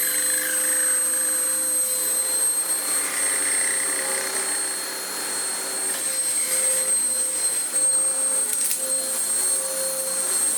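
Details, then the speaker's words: Vax Power upright vacuum, height control raised from low setting: steady high whine with thin rubbing squeal and uneven flutter as belt wraps round worn-through brush roll end, getting very warm; brush roll presumed scrap. "No, I was sort of hoping that it was going to snap and be a bit exciting on camera. It's definitely wrapped around."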